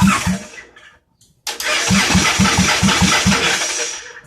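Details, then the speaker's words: Inferno motorbike with a freshly assembled cheap eBay engine swapped in, first crank on starting fluid: after a short pause it fires about four uneven pops a second, then fades. The engine runs. "Her little poppity pop."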